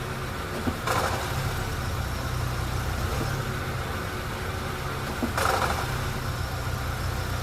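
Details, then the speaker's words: Honda Fit CVT automatic, 196,816 km, heard from underneath: steady idle with sharp rattling bursts in the gearbox when shifted into Drive; flywheel to be replaced, also leaking oil at the flywheel. "Quando você põe no drive aqui, ó, ele dá aquele chacoalho no câmbio tremendo."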